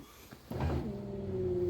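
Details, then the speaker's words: VAZ power window motor tested with the engine off after cleaning and lubricating the seal and felt channels with WD-40. A clunk, then a steady even hum; speed unchanged, so the sluggish motor itself is likely dying. "Давайте проверим его работу после промывки и смазки вдшкой всех бархоток так на не запущенном двигателе Ну то есть скорость осталась такой"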